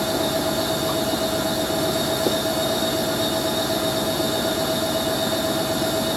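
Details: Hoover A3060 Electronic 1100 washing machine on Programme D, Fast Coloureds 60°C, during the fast 1100 rpm spin: thin steady high screech over the rushing drum, typical of dry squealing motor bearings.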